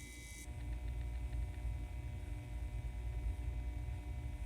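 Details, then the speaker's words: N scale Model Power 4-6-2 Pacific locomotive, repaired with reattached wheels, frame and valve gear and shimmed motor, running without tender: low, smooth, even motor hum with no catches or rattles; normal running. "that sounds really good to me that's definitely a good sign oh yeah so without the tender it's going to be running intermittently but let's see what we got not"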